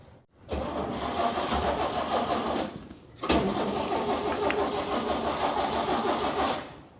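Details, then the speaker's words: 1969 Chevy C10 half-ton long bed, carbureted, choke reconnected, coolant system on hose water; catches quickly, stumbles, restarted, then runs evenly without knocks or misses; alternator hums and charges 13.9 V; normal running. "Hold on. Try and put some more gas in this thing. >> Yeah. Look at that. Runs good."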